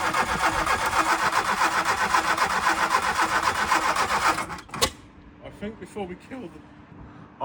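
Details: MK2 Golf 1.6 Driver project, first crank with new battery: starter turns engine steadily about four seconds but it never catches; no spark, failed ignition module.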